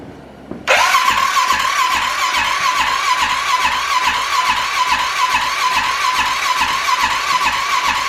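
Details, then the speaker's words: Wrecked Arctic Cat 650 H1 ATV at first start after engine reinstall, with fuel present; starter whirs with a steady chuff about twice a second but the engine never fires, with no spark, and a bad ignition module is suspected. "we went to go fire it up and we didn't have any sparks so we uh we're fighting some issues there"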